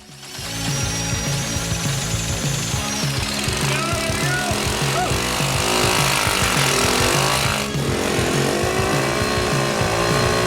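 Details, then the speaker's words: 1981 Honda ATC 110 three-wheeler revived from a seized engine, carburetor ultrasonically cleaned: loud even single-cylinder thumping about four beats a second, holding steady; runs cleanly, smoking less after a few minutes. "oh man she wants to run bad we're getting close"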